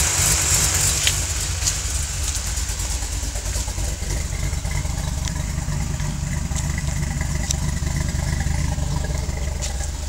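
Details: 2005 Ford Mustang V8 with FRPP hot rod cams, JBA shorty headers, JLT cold air intake and Flowmaster exhaust: lumpy cammed idle with faint, uneven sharp ticks; owner suspects an exhaust leak near the headers.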